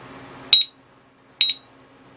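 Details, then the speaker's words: Urban Security UR6 alarm disc lock on a Victory Empulse TT, armed after 10 seconds and shaken: sharp high-pitched chirps about once a second, three heard, the motion warning before the full alarm. "if you shake it if you jostle it enough the alarm is gonna it's gonna it's gonna warn you or go off so yeah there it is that's how it ope"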